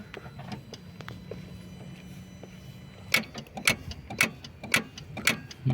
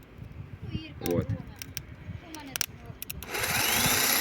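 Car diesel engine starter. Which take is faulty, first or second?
first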